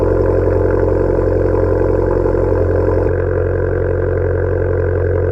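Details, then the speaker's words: Abarth 595 Turismo, very loud exhaust, cold start at 5°C in England: loud even drone at raised cold idle, steady pulses with no misfires, pitch settling slightly; healthy normal cold start high idle. "here goes the cold start for those of you that are still watching get ready"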